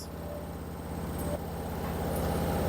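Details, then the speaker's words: Candy (Smart Pro) front-load washing machine, about 6–7 kg load, on customer's mounting stand/rack: loud steady low drumming hum building through the spin, no knocking; shakes violently, excessive vibration caused by unsuitable stand, to be removed. "Now what I'm going to do I'm going to remove this stand actually because it's too much vibrating. You can hear the noise here. Too much it's irritating noise."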